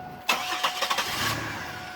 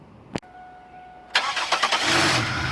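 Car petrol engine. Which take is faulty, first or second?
first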